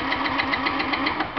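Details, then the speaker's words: Fuel-injected Yamaha C3 scooter on a scan tool. A steady cranking chug of about seven beats a second with sharp ticks, but it never catches because injector pulse was lost: crank, no start. Water in the gas tank was eventually found. "Uh, for some reason we lost our injector pulse, but we'll get her back."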